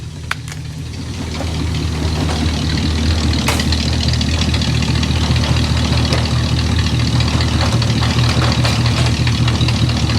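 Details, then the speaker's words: 1959 Dodge Coronet cold start: a steady, even V8 idle with a low burble settling in, no knocks or misses, so the engine sounds healthy. "god she sounds good she's beautiful ain't she"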